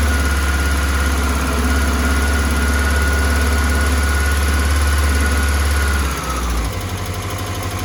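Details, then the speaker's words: 1984 Honda CBX750 four-cylinder after engine repair and refit, hot start: smooth even idle holding a steady beat six seconds before shutoff; runs cleanly, some oil residue burning off. "this is a hot start very happy she's running quite [Music] nicely not too bad not too bad"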